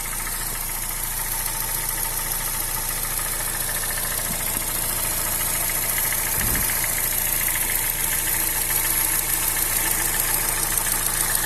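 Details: Honda Fit 2007/2008 1.5 VTEC CVT at idle: light quick tick about twice a second over the hum; valves adjusted twice without fixing it, not AC compressor bearing; stops when hot, in gear or with AC on. Source unconfirmed.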